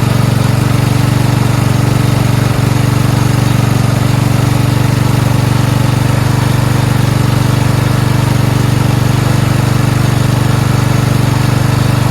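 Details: Four-wheel-steering lawn tractor "Rodimus Prime" with Nikki carburetor, after carburetor and fuel line replacement and ground fix: steady, even single-cylinder putter at constant pace with no stumbles or hunting; normal idle.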